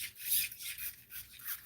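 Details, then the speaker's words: Squeak in an ARRMA Granite Grom RC truck's suspension/steering: dry, high-pitched rubbing squeaks repeat as the front end is worked back and forth by hand; owner suspects this is the squeak heard earlier. "You hear that? That's kind of squeaky. Maybe that's what was squeaking."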